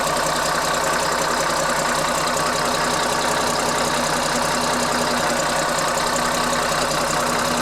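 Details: CAT 3306 diesel just swapped into a 972G payloader, first run: steady diesel clatter at an even idle, about two and a half beats per second, with no misfire or surging; healthy.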